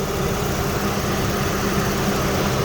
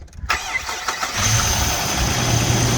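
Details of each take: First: 2004 Jeep Liberty Renegade after repairing a dropped rocker arm caused by a collapsed lifter: smooth even idle with no top-end ticking; normal idle. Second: 2004 Jeep Liberty Renegade after repairing a dropped rocker arm from collapsed lifter, first start after battery disconnect: cranks, catches to fast idle with faint steady hiss of a vacuum leak; ticking gone.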